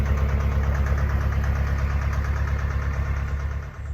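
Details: Narrowboat with Vetus diesel, first long cruise after settling-in misfire issues; deep steady thump about two beats a second, even firing, no dropouts, fourth cylinder reportedly back and all cylinders pulling.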